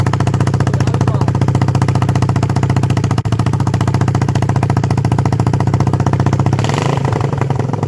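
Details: 1976 Honda XL250, first start after three-month restoration (about 8000 km, front forks overhauled), running with a steady, even single-cylinder thump at about four beats a second, no knocks or rattles; normal healthy running.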